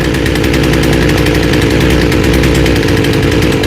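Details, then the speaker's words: Small chainsaw with a freshly rebuilt carb after high and low screw tuning by ear: a fast, even two-stroke putter holding steady pitch with no hunting or dying; it idles nicely with the chain not moving. "Okay, now she's going down to idle and she's idling nice. You notice the chain's not moving."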